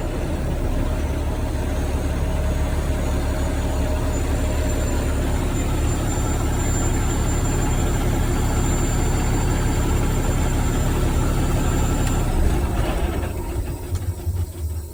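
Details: Diesel truck after replacing the exhaust gas pressure sensor (EGR valve position/sensor supply circuit codes) and resetting faults: steady, even low diesel rumble at idle with no misses, knocks or hunting; idling normally.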